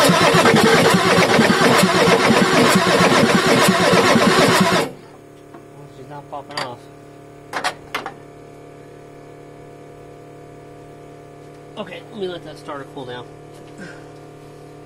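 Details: Ford F350 6.9L IDI diesel after injection pump replacement: several seconds of rhythmic starter churning that never catches, then quiet; extended cranking while air is purged from the fuel system after bleeding the injector lines.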